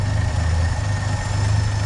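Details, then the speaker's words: 1966 Chevrolet C30 truck, pre-restoration, idling with the choke taken off: a smooth, even low rumble with a steady beat and no knocks or misses. A healthy, quiet idle. "Smooth and quiet."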